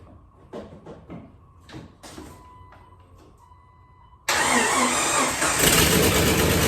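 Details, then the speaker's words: Car started after sitting 5 years on 5-year-old fuel: key clicks and chime, then engine catches and runs loud and raspy from a bad exhaust leak; otherwise runs well, owner will fix leak. "sounds like we might have a terrible exhaust Le but it started well aside from a terrible exhaust leak which I will fix it actually runs good"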